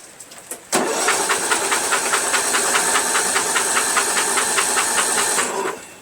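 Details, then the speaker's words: Replacement Briggs flathead engine swapped into Murray Select lawn tractor, oil-soaked carburetor: quick light starter whir with even ticking, no compression strokes, spins freely because spark plug is removed. "you know what this is no spark plug that's why there's so much that's why it's so easy to turn I meant no compression"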